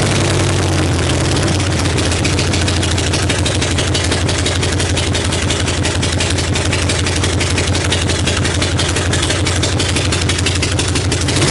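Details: 1965 Harley-Davidson Panhead V-twin after cam, lifter, pushrod, carb and coil work, started on choke: loud, raspy, uneven idle with ragged crackle on every pulse; rough idle, still needs tuning, cause not confirmed.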